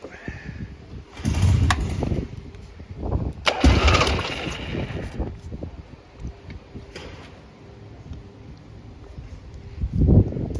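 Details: 1977 Harley-Davidson Ironhead Sportster 1000cc, 6502 miles on the clock, exhaust loose: it cranks and fires in short revving bursts that die back each time and won't settle into a steady tickover. Cause not stated.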